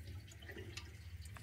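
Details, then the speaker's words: Central heating pump running with water trickling and gurgling through the pipes after a 3-port valve swap and microbore unblocking; valve opening, air trapped in the heating circuit, to be bled out. "a bit of air in it yeah it pumps running mate there's probably a load of air in it now"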